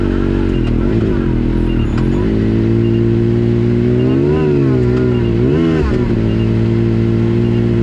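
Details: Yamaha YXZ with newly installed Agency supercharger (stiffer bypass valve spring, vacuum lines smoke-tested, 4-5 lbs boost on gauge): engine pitch sags and wavers, bogging in first gear on initial throttle, lumpy burble, almost backfires; no more power than stock, cause unknown.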